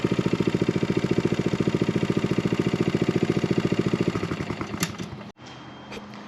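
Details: John Deere 14SB mower after repair with new fuel line and new blade brake clutch bearing: small single-cylinder engine runs with steady, even putter at constant speed, no knocks or grinding, then shuts off cleanly; normal running.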